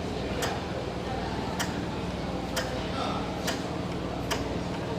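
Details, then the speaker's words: Yanmar TF55 diesel before starting, throttle pressed slightly: sharp, even ticks about once a second with nothing else running. This is the injector spraying fuel into the intake, which confirms it is ready to start. "Setelah itu kita pastikan terdengar suara tembakan minyak di intake-nya."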